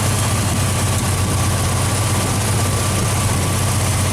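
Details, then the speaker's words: Straight-six engine recently switched back from Pertronix to old points ignition, idling with deep steady rumble and faint loose puffing tap from exhaust manifold leak at center cylinder, possibly blown gasket; tightening planned. "we've got a pretty big vacuum knee I mean a exhaust leak over here somewhere you can hear it tapping her which cylinder it is somewhere over here the center one is blown out"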